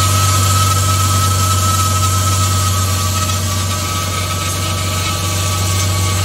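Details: Mercedes-Benz W212 E300 petrol, first cold start after intake manifold leak repair (previously rough idle and stalling for about 10 minutes until warm): engine idles steadily with an even low hum and faint high tone; an air pump running long is suspected abnormal.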